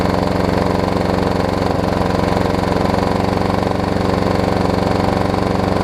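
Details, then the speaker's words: Troy-Bilt self-propelled mower with blown, abused Briggs & Stratton engine running after a plug check: fast rough knocky chugging about four beats a second while puking oil out the side; blown engine with oil leak. "Oh my. This thing is puking oil out the side. Holy moly. It does run though. I don't know how good it runs."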